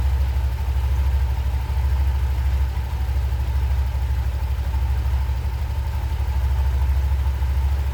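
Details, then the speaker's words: Honda Vario 125 ESP scooter idling after its dusty clutch bell, whose dust caused judder on initial pull-away, was blown clean with a compressor without disassembly; deep, steady thrum, even and free of rattles: normal idle restored. "Hai mantep suaranya jadi normal kembali ya"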